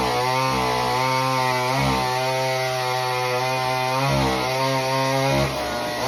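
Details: Homelite Super Mini two-stroke chainsaw, customer saw that wouldn't run, rev or idle, after an adjustment of about a turn and a half: high buzz dips as the chain bites the log and recovers cleanly between cuts; normal cutting under load.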